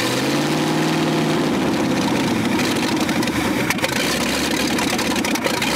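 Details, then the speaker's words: 1965 Ford F100 V8 buried over 50 years, first run with no exhaust fitted: loud, raw, lumpy idle with a steady deep pulse and no muffling; runs evenly and sounds healthy, just very loud. "it sounds good too i mean other than it being extremely loud from no exhaust"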